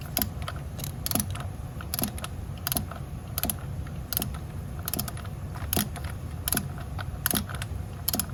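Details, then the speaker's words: Torque wrench clicking at 9 ft-lb while installing NGK ILZKR7B-11S spark plugs on rear bank of 2010-2013 Acura ZDX; sharp metallic clicks about once a second signal set torque reached, listen to avoid over-tightening. "You really have to listen to it to make sure you don't over tighten it."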